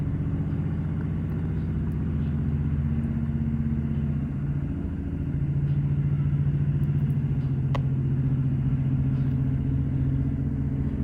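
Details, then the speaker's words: 1968 Bolens Husky 775 garden tractor with hydrostatic drive, swapped to a Hatz 1B30 single-cylinder diesel with new exhaust, first drive outside after a long time: steady deep even firing beat, no knocks or misses; normal running. "her first time outside after a long time her new exhaust sounds good"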